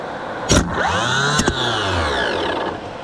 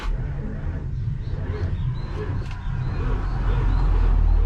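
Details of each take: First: 1984 Nissan Diesel CKA50BT tractor truck (RD8 14.3 L V8 diesel) 24 V starter on bench with no load, after cleaning seized brushes and armature: clean whirring spin-up and smooth wind-down, two sharp clunks as the drive engages; healthy starter. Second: 1984 Nissan CKA50BT tractor truck, RD8 14,313cc V8 diesel, parked a while, after servicing a starter with seized brushes and burnt armature: heavy, sluggish crank at about four beats a second, no firing; still slow cranking, no oil pressure yet.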